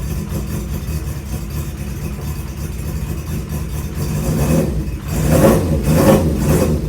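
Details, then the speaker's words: Honda CB550 cafe racer project started for the first time after sitting an unknown time, choke up, on its stand. The four-cylinder idles a bit unevenly, with throttle blips rising in pitch. Idle needs setting, likely carburetor adjustment. "And it sounds like I have a little bit of adjusting to do, maybe set idle or something, but not too bad."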